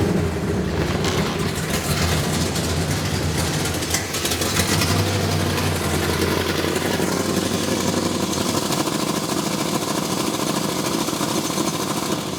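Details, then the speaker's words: 1971 Plymouth Road Runner V8, parked 35 years since 1989, newly fitted Demon carburetor: loping, stumbling, rough fast idle with smoke appearing; runs poorly, owner suspects ignition timing and adjusts the distributor. "still doesn't run very good does it oh why is there smoke rolling out from where is that coming from"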